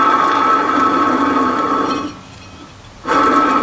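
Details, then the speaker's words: Passenger-side wheel bearing, not seized but starting to growl, spun by hand after the quiet driver side. Steady rough whirring with a thin high whine that dips briefly; owner thinks it has gone dry and is replacing both bearings. "and then the bearing on the passenger side wasn't seized up or nothing, but it's starting to get growly sort of sounding."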